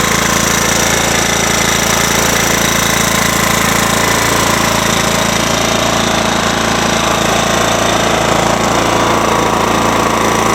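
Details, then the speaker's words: Ransomes walk-behind mower with a Kohler 14 hp engine at high revs: fast, even, solid beat with no misses or knocks; running strong and healthy. "So anyways, you can hear it runs well. Just gonna rev it up. Running good. Running good."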